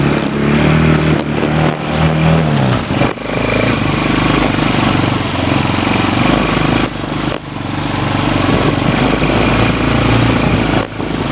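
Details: Roketa ATV running unevenly as it is ridden, with a light tapping that grows louder and louder; oil level being checked, cause of the tap not found.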